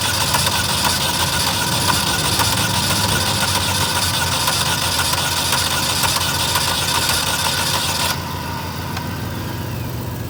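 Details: 2012 Chevy Malibu LT 2.4 crank no start: starter cranks at a steady, even rhythm for about eight seconds but engine never catches.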